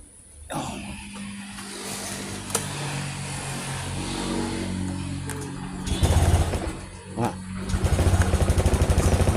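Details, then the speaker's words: Honda Beat Deluxe scooter that died in about 40 cm of floodwater: starter churns, then the engine catches into an even pulsing idle, about three beats a second; owner suspects the coil-to-spark-plug wire was shorted by water. "motornya bisa mau hidup nih guys"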